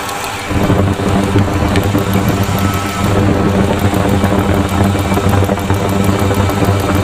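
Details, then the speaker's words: 2000 Ford F-250 SD 5.4 L (330 CI) at idle, microphone in a PEX-pipe stethoscope on a fuel injector: crisp, evenly spaced rapid ticks over a steady idle rumble, all injectors sound similar. The truck has an intermittent rough idle and a miss, but the injectors sound healthy. "Okay, so all of the injectors do sound similar. You can hear a distinct ticking."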